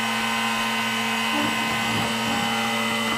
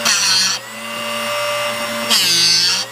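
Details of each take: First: Drill Doctor sharpener on 1/2-inch (13 mm) cobalt bit, depth adjustment likely set too far in: steady whine, then about a second of harsh scraping as it grinds past the split point, rounding it; sharpener grinding past split point. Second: Drill Doctor drill bit sharpener on 1/2-inch (13 mm) cobalt bit, after adjusting cut depth: steady motor whine with hissing grinding bursts stopping cleanly mid-way at the peak each pass; normal sharpening grind.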